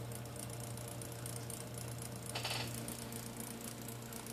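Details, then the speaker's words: Clicking from the rear of an IBM Selectric II typewriter while serviced: fast dry clicking rattle over a steady motor hum, caused by an expired (worn) motor pulley bushing, to be replaced; drive belt also badly cracked. "and that clicking noise is the motor uh bushing is expired we're going to show you how to change that"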